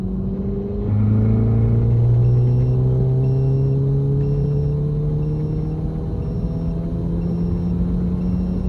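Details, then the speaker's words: MK7 GTI, being fixed for bucking/hesitation before a meth tune, logged full-throttle pull in third gear only from 2,500 rpm; smooth, clean rising engine note, no stumbles or misfires felt; logs sent to tuner. "So I'm going to send those logs to my tuner. There were no misfires that I felt."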